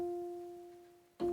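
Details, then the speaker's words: Gibson G101 combo organ under repair, on an isolated 115 V supply, sustain switched to long after medium: a steady tone holds and fades slowly for over a second; long sustain working, fault suspected elsewhere. "Switch it into medium. Yeah, that's working. Long."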